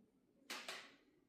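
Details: LG OLED 77 G5 TV, switched on, in a quiet room: two sharp cracking pops a fraction of a second apart. Popping noise, cause not confirmed.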